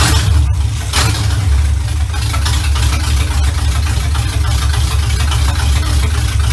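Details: 1970 Chevy Impala V8, first run in 4 years right after fitting a new carburetor, ignition advance not yet capped: steady even low rumble at idle, no misses, stumbles or knocks; runs much better than old carburetor, normal idle.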